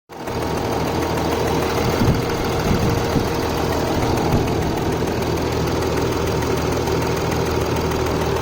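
Steady diesel idle with a light, fast metallic ticking riding over the clatter, even and unchanging; normal injector and valvetrain noise.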